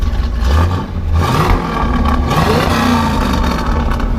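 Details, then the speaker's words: 1968 Pontiac Firebird convertible, factory 400 V8, four-speed, driver's side: strong V8 blips up and back down twice, clean even burble with no knocks or misses; sounds healthy. "car actually sounds really really good we'll wrap it up here for you"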